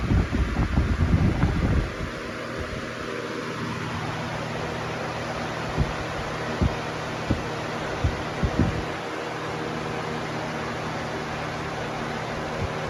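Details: Lasko Weather-shield box fan, 2018 model, 1 amp, 60 Hz, after one year of ownership, on high speed: handling noise, then a steady even rush of air with a low motor hum and no wobble. Normal running.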